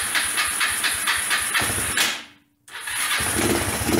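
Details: Old Kawasaki four-wheeler ($50 basket case), first start after rough home top-end rebuild with bench-ground valves, on battery charger: small single chugs unevenly, cuts out, sputters back; rough running and backfiring, cause unconfirmed.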